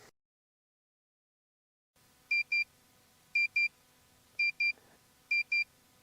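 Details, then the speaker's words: Norwood LumberMax HD38 sawmill power-feed wireless remote receiver, switched off then on: repeated high-pitched double beeps about a second apart, the diagnostic code for a blown 5 amp throttle control fuse (a single beep every 5 seconds would mean the main 30 amp fuse). "a single beep every 5 Seconds tells you that the main 30 amp fuse is blown a repeated double beep indicates that the 5 amp fuse to the throttle control is out"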